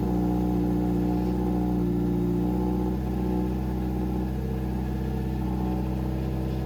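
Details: 2007 Subaru WRX swapped to STi engine, break-in run at about 2500-3000 rpm for 15 minutes: steady fast idle, smooth and even with no knocks or misfires; normal running.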